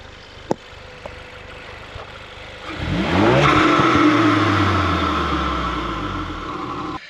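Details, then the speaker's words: Ford Focus RS Mk3, after battery replacement and cleared codes, bonnet open, warming up: quiet few seconds then a sharp blip with revs falling smoothly and evenly; no warning lights, normal healthy revving. "Car sounds amazing. I can't wait to drive it."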